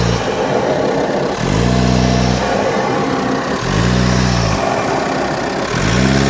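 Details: Audi A4 B8 (8K) 2.0 TDI 170 PS: on lifting off the throttle, a rushing, hissy air whoosh follows the falling revs, like a leaking air filter/intake; removing the MAF hose didn't help, source not found.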